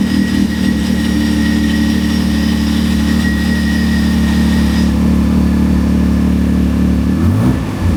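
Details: 1993 Acura NSX, 3.5L stroker twin-turbo, cold start after sitting and oil leak repair: strong steady idle, smooth exhaust note, quick blip near the end; oil pressure present, no tailpipe smoke, healthy.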